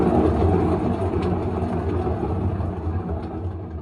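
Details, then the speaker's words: Samsung front-load washer, unplugged, drum turned by hand; a low, uneven rumble dying away as the drum slows, worn tub bearings, where it should be silent. "That's what bad bearings sound like. It should be silent."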